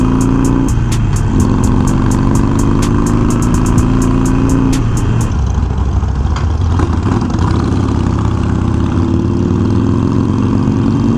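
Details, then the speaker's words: Harley Iron 1200 with Vance and Hines slip-ons idling: V-twin rumble with a light metallic ticking rattle from an aftermarket chin spoiler whose screws, fitted without Loctite, loosened after a long ride. "I don't know if you guys can hear that rattling so blossom when when I went installed that front lip I didn't use any lock sight and I guess some of the screws are a little loose already from the long ride that I took last week and I can hear the metal plaque shaking"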